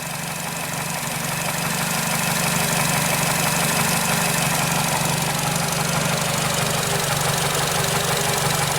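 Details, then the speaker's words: 2008 Nissan Versa, after its seized A/C compressor clutch was replaced: the idle swells over a few seconds, then sags and wavers. Idle surging, cause not yet found. "customer has another complaint and said I idle the engine kind of surges it's kind of surging right now kind of hiccups the RPMs aren't very stable"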